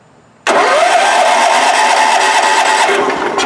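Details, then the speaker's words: Wheel Horse 416-8 garden tractor, over 2275 hours, 12 V applied directly at the solenoid with key off, transmission in neutral and brake set: starter spins strongly and evenly for about three seconds. Starter, battery and solenoid are good, so the no-crank fault is in the key switch-to-solenoid circuit. "so our transmission's in neutral brake pedal set let me apply 12 volts here and we should be hearing it crank"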